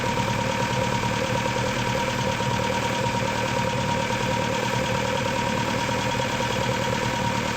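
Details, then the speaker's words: Engine with twin Weber DCOE carburettors, idle mixture being tuned: steady, even idle at the point where idle speed peaks and plateaus, before backing off an eighth of a turn to avoid lean spit-back. "So right there, that's the spot where the idle is just plateaued."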